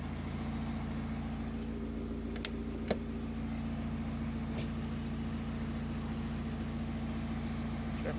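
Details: Opel Combo 1.7 diesel with crank-no-start and code P0251, after patching a fuel line hole under blue tape and adding a primer bulb to bleed air: quiet, even idle with steady low rumble, no misses; starts cleanly.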